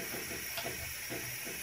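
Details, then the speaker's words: Eagle air compressor running: steady sharp hiss over the pump's regular thumping, about two strokes a second, from air leaking at the tube fitting to the pressure switch, before repair. "so the leak is right here this tube here when connects to the pressure"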